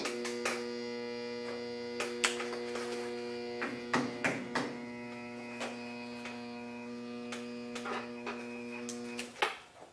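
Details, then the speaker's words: Everclean pump motor on a 30" Covington lapidary slab saw, plugged in after removal: steady electrical hum with buzzy edge and handling clicks but no rotation; motor stalled, owner suspects something trapped inside, mud and goop found in it. "That motor is definitely not spinning. Tried to. All it's doing is humming. There's no way that's spinning."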